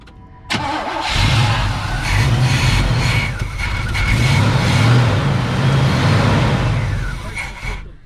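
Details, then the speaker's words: 1980 Chevrolet Cutlass from a scrapyard, sitting since at least 2018, new ignition switch fitted, fuel fed to rule out no fuel versus a bad fuel pump: catches after brief cranking, runs rough and uneven, then dies; starts then stalls. "So either this thing has no fuel in it or the fuel pump is bad, so we're trying to rule out the no fuel thing."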